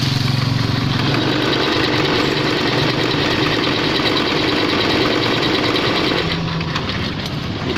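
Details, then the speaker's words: Automatic scooter fitted with overly extreme racing rollers, revving: a loud, coarse rattling grind from the CVT belt drive area over the engine, pointing to a worn, chewed-up drive pulley face. "bisa kalian lihat sepeda motornya itu ngamuk-ngamuk seperti ini lihat-lihat kekasih tersebut dan dia bunyi kasar pada bagian CVT nya bunyi kasar seperti ini"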